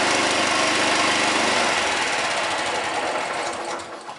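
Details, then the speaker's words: Honda four-stroke lawnmower that wouldn't start, after carburetor cleaning: buzzes along at steady, even pace then winds down smoothly, no misfires or stumbling; fixed and running normally. "Success! That saved $150."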